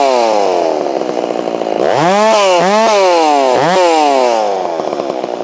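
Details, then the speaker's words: Holztfforma G660 chainsaw milling, which had been losing power at top-end RPM, tried after warming up: a strong high-revving note sags and recovers through the wood, holding in the cut without bogging; low end may still need adjustment. "I'm pretty happy to see that. Still idling down. Before I couldn't, I wouldn't be able to stay in that cut like that."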